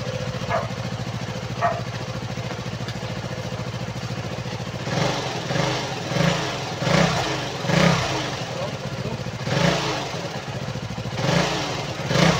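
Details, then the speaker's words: KTM Duke 200 after fixing a leaking fuel pump hose that caused stalling at idle and power loss: starts on one press, even single-cylinder idle with clean throttle blips, no stumble. Fixed, normal idle. "so Ayan one click na lang po siya ah hindi na siya yung tulad kanina na ilang beses mo pang i-start i-press yung start para lang umandar so far so good na po yan"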